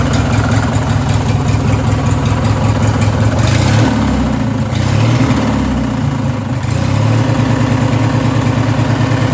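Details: Race lawn mower engine: rough low idle with a heavy, rhythmic knock under each throttle blip. A worn connecting rod bearing is suspected, and the engine is likely to fail.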